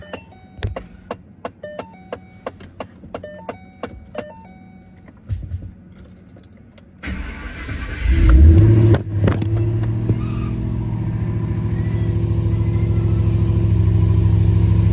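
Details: 1000HP twin-turbo Mustang started after replacing a cracked alternator to fix voltage issues: a few light clicks, then the engine catches and settles into a deep, steady, smooth idle.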